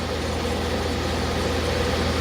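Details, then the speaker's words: 1994 DeLonghi 40-pint dehumidifier running in a basement, draining to a slop sink: steady, even low hum and smooth fan whoosh. The fan motor's free-play rattle went away after minutes of running and frost is forming on the coils, so it runs quietly and normally. "And also the free play noise in the fan motor just went away, which is pretty nice. Because it'll show you how quieter it got."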